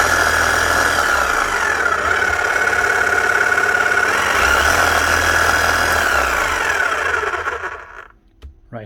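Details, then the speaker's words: Makita HM1111C non-rotary chipping hammer, old and heavily worked, overheating and down on power: thin sluggish whine with weak uneven beat, then cuts off; motor running very slow. "Running very slow. Let's see if she even hammers here."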